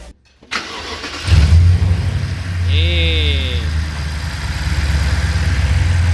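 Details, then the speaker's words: 2012 BMW 750Li 4.4 twin-turbo, first start after oil pump chain tightened with washers to fix low oil pressure: catches within a second, smooth even low idle, no knocking or ticking; annoying noise gone. "no more noise [Music] and these guys this is how you fix the annoying sound on this 2012 bmw 750 li"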